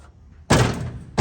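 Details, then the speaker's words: 1969 Camaro during rear sheet-metal replacement, trunk lid closing: two dull, heavy thunks about 0.7 s apart; the lid hits the weather-strip channel (rain gutter) because the channel plane isn't even. "it's hitting right here. It's hitting the weather stripping channel or rain gutter, whichever. It's called different things. But that's where it's hitting at."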